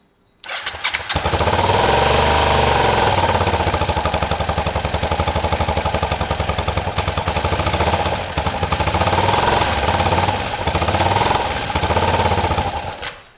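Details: Kawasaki ER5 twin with the right spark plug pulled out and hanging loose: a steady idle with a lumpy, uneven beat of about four pulses a second, running on one cylinder.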